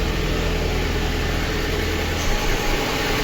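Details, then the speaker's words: Lada Kalina 1.6, used replacement engine, cold: rough, stumbling idle; misfire, likely from low compression in cylinder 2, coolant boiling and missing, suspected head gasket. "видно що його підтрухує чуєте ну протрой естьн холодний"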